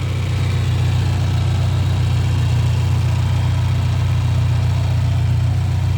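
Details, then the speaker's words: 1993 Suzuki Katana GX (Jimny) small petrol engine idling: smooth, steady low idle with even beat and no ticking or knocking; engine sounds healthy. "Untuk bagian mesin-mesinnya seperti ini, suaranya juga masih halus. Nah, suaranya halus teman-teman."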